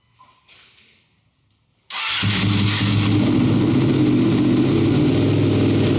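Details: Wrecked Ducati Panigale V2 Bayliss rebuild, first start after 3–4 months, in neutral, little fuel, battery somewhat weak: catches and settles at once into a strong, even, lumpy twin idle, no misses or knocks; smoke from rear header likely cleaning products.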